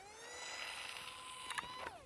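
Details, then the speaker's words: Eachine Mini F-16 RC plane on takeoff roll in beginner mode: motor whine rising in pitch, then sharp ticking rattles as the propeller strikes the ground; landing gear too short. "See, as soon as I started to roll, did you hear it? Yeah. It was hitting the prop. Yep. So I just don't think the landing gear are tall enough."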